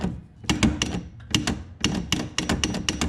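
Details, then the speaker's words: Jeep Wrangler YJ: bursts of sharp hollow clunks, several a second, over bumps. The lower steering shaft bearing where the shaft leaves the firewall into the universal joint is worn away; a replacement bearing is to be fitted. "as you can see this right here is what's left of the bearing and that means when you go over bumps"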